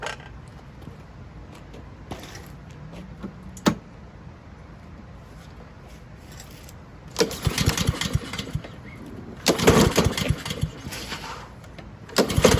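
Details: Husqvarna push mower pulled from the trash, first start attempts with breather off and gas in tank: three brief rope-pull bursts, engine spins over and dies each time without catching; fuel starvation from a dirty, clogged carburetor.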